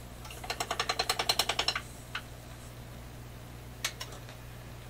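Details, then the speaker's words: Canadian General Electric C701 console record changer: quick even train of dry clicks about ten a second for over a second, then stray ticks; clicking left unfixed to avoid disturbing the record player, cause unclear. "the reason i'm not dealing with that clicking by the way is it's just another opportunity for me to mess up the record player"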